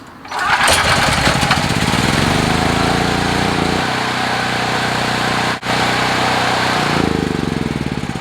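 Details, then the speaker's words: Several-years-old Generac recoil-start portable generator, hot engine: starts on the first pull with choke in and again normally, rises to speed and settles into a steady drone with steady voltage; healthy hot restart. "started first ball with a chokes in and normal on a hot motor"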